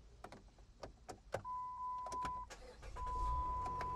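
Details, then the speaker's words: Minivan with a dead battery (headlights left on overnight) started via jumper cables from an idling donor car; door chime and clicks, short crank, then engine catches and settles into a low, even idle; normal start. "that sounds like a car running to me"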